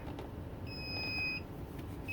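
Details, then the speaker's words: Class A motorhome idling, all leveling jacks up but system reports one not stowed after a failed jack repair and the jack unplugged: steady repeating one-second high-pitched warning beeps over the engine; jack not-stowed alarm. "All the jacks are up. It's just indicating that one jack is not in the stopped position, which it is."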